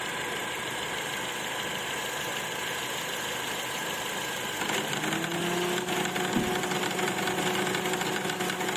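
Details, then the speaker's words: 2008 Honda CR-V K20 idling with A/C on: a new hum and loose, uneven knock as the compressor engages, traced to an excessively loose belt tensioner, which is replaced; belt still okay. "niyo so magalaw na masyado yung ating tensioner so try natin palitan to kung mawawala ang ang naking noise kapag naka aircon"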